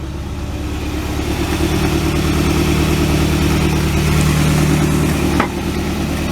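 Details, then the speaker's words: 1967 Ford Galaxie V8 warming up on old two-barrel carburettor and makeshift fuel tank, no throttle: uneven lumpy idle with soft pop about three times a second; owner suspects a dead, dragging cylinder. "I think we got a dead cylinder we're dragging we'll see if it'll fire back up I'm not even gonna touch the gas we're just gonna hit the switch and see how about that you can hear it popping a little"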